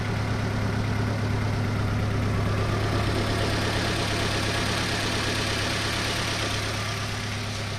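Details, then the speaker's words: Nissan Rogue idling before coil pack and spark plug replacement, check engine light cleared on its own; low steady drone with an occasional uneven putt; misfire from ignition coils and spark plugs. "But this is what happens when you have misfires. Sometimes it clears up and then the light will go off, but you can hear it. At least I can hear it. Got a little bit of a putt to"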